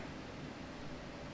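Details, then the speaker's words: Lenovo C940 laptop during game launch, CPU at 63–64 °C after peaking at 65 °C, fans starting to ramp up: faint even hiss from slowly turning fan, no rattle, ticking or whine; normal fan noise at low load. "I can hear the fan running very silent in the background. There they are ramping up. Temperatures at 63 to 64 Celsius right now. It was peaking at 65. That's what started the fans running."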